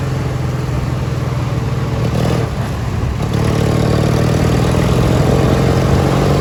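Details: Li'l Red with Peerless 820 transaxle, during a top-speed run after new spark plugs: the twin runs strong and even at full throttle with a steady drone, no stumbling or misfire. It runs great now, with no gasoline smell from the exhaust.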